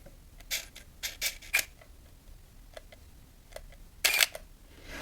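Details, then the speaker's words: Nikon F801 (N8008) 1988 film camera on its first shot after loading film. A crisp shutter snap, then a short motor whir winding on to frame 2. Normal shutter release and film advance. "да, все зацепилось и сработало. Вот видите, мы сделали первый кадр, уже второй кадр на счетчике."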